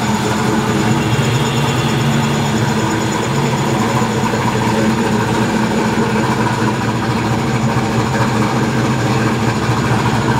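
V8 fires and settles into a steady, even run with a smooth low rumble and no misses; healthy.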